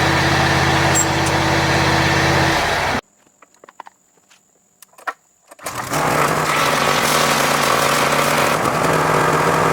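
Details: John Deere X540 mower that came in crank-no-start with no spark, idle about a year; both coils found dead, failed module swapped. Twin runs steady, drops out a few seconds, then picks straight back up smoothly: normal running after repair.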